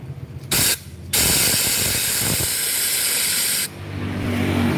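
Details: Supra motorcycle lacking power, topping out at 100 km/h, piston ring gap already found widened: steady hard hiss of air escaping for a few seconds while pressurised; the valve isn't sealing, so compression bleeds away.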